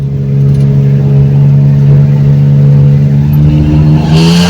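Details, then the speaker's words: Ford Torino with turbo inline six, before the exhaust swap with its original single-chamber Flowmaster: loud steady drone with a harsh, high-pitched raspy edge rising as revs climb. New straight-through mufflers are meant to quiet the raspy exhaust note. "that's going to replace that one chamber flow master that's on the Torino so hopefully this will get rid of that real high pitched noise and quien it down"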